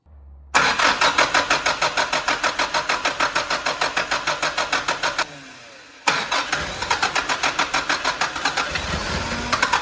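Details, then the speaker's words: 1985 Mitsubishi Pajero with its original carburetor, idling rough and possibly misfiring: uneven, lumpy firing about three beats a second stumbles and dies, then restarts just as ragged; later fixed by a Weber carb swap. "Today we are going to focus on the engine idle issue we're having. So, it's running a bit like rough and possibly misfiring."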